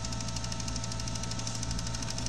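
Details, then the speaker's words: Bose Wave radio 3 CD changer not taking the CD, CD stuck: rapid even clicking, about eight a second, over low motor hum, from a drive gear missing a tooth. "So the noise is come from that piece over there. Is it cracked over there? Oh, look this gear. So the gear is missing one gear."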